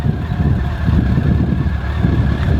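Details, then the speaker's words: Yamaha motorcycle, 50,000 miles, started after fuel-pump priming: deep, steady rumble that settles right after starting with no rattles or misses; healthy start-up and normal idle. "I do like how Yamaha sound. They sound"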